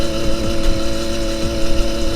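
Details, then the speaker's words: Gas-motorized delivery bicycle, two-stroke, after cutting the exhaust pipe and changing the spark plug: flat buzzing drone that never picks up and holds back under throttle. Engine bogging; owner suspects lost piston compression. "hoje está fraco ainda galera tirei lá o caninho mas aí ó tá limitando bastante antes ela acelerada aqui agora a segurando muito"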